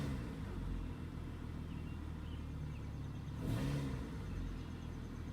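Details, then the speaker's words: 2002 Acura TL Type S in drive, light throttle tap to 1000-1500 rpm, heard from inside the car: low engine rumble with a dull knock/chirp as revs rise, from worn front and side engine mounts letting the engine shift. "you really don't need to give it that much gas and from inside here you'll probably hear a little chirp so let's give it a try heard a little bit of a knock"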